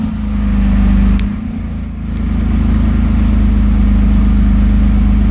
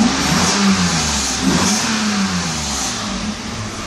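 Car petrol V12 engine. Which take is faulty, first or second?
first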